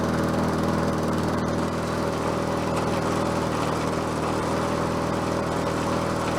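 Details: Bolens 22-inch self-propelled mower with a Quantum engine, on the ground after repair work: steady, even single-cylinder note with no misses, surging or knocks, holding constant speed; self-propel works and it runs as it should.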